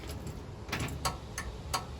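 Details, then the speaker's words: 1936 Chevy coupe, newly wired universal turn signal switch with its flasher, ignition on: rapid, evenly spaced ticks about three a second with the lever off; flasher already flashing, owner first suspects its terminals are reversed. "and we're already flashing now to me that means that the flasher terminals are the wrong bearing so let me quick go and change that"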